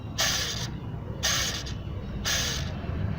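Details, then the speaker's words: Car engine tensioner pulley with the cracked drive belt and cover removed, spun by hand three times: a dry, gritty rushing rasp that fades as it slows, indicating a worn tensioner pulley bearing needing replacement. "this pins is a tensioner poly and lessens a noise this is a bad tensioner poly listen to noise"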